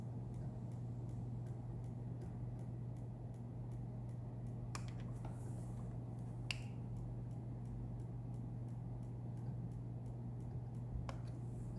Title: Bricked Wii blue light ticking sounds